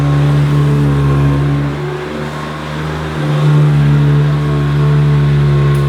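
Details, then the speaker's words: Classic Hoover Decade 80 upright vacuum, a US import run in the UK through a converter box, on the shag setting in normal mode: loud steady motor drone with strong low hum and vibration; owner unsure if this noise is normal. "seems to vibrate a bit and is quite noisy but perhaps that's the sound that they should make please comment below if you think this sounds ok"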